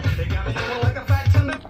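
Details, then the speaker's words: Sony TCK-620 three-head cassette deck, tape playback after belt replacement: music sounds dull and muffled with almost no treble and only the bass thumps clear; the problem is playback head azimuth misalignment. "this is this is not good you can hear the the sound is not good so the problem is azimuth"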